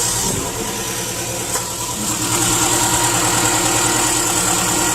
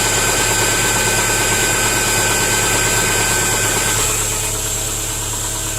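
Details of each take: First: 2010 Subaru Impreza 2.5 non-turbo (113,000 miles) on first start after an engine replacement, since the old engine had run without oil. No coolant in yet. It idles steadily with a smooth hum and no knocks or ticks, and no problems are seen. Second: 2010 Subaru Impreza 2.5 non-turbo, 113,000 miles: original engine run without oil, over 4 qts needed to reach dipstick, glittery oil; at idle a hard, even knock about three per second, crank looks wobbly. Bottom-end knock from oil starvation.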